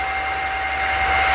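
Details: GX CS3 high-pressure compressor after O-ring repair (four O-rings replaced), deadhead set at 4500 PSI: cooling fans on, smooth steady air rush with constant mid-pitched whine, no rubbing or rattle; fans normal.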